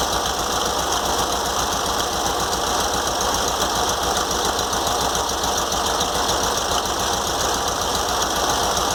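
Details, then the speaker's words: VW Beetle (Fusca) at idle after spacing alternator fan from shroud with two washers and cleaning shroud and carburetor: steady idle with constant high whir and fast light chatter; some noise remains, probably a bearing. "mas ainda tá um pouco de barulho ainda porque provavelmente é um rolamento aqui"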